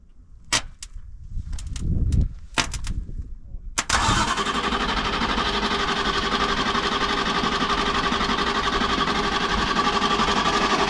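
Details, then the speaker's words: Broken-down bus, neutral safety switch considered: scattered strained starter bursts with pauses while jumping the starter solenoid, then engine catches and runs; starter drags hard, believed failing and needing replacement. "okay so I believe you got problems with starter I would shut it off I'm not going yeah don't shut it off but she needs a starter okay all right so it didn't want to crank it"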